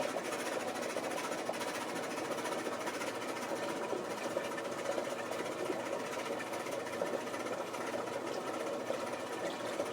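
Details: Maytag Performa washing machine running with a fast, uneven clattering knock, about two to three beats per second; abnormal rhythmic knocking of unidentified cause.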